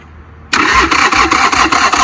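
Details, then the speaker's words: Motorcycle after charging a nearly dead battery, cranking before any fuel is added: the starter turns the engine over at an even beat with no drag or clatter. Normal cranking. "Alright. That's good. So she's turning over."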